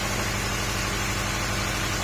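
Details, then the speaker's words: Uneven, lumpy idle with irregular low thud and shaking on a second-generation Honda CR-V; stumbling misfire, owner suspects ignition coil or spark plugs. "เดี๋ยวผมจะลองติดเครื่องนะครับลองดูเสียงมันจะเป็นอย่างนี้คือมันเหมือนเดิมไม่ครบสูตร"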